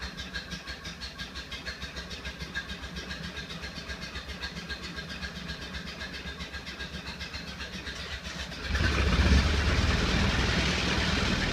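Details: 1931 Ford Model A four-cylinder, 6-volt, first run after 10+ years stored in barn, after timing adjustment and fixing bad alligator-clip connection; even steady low putter about four beats a second, then smooth clean rev; running healthy.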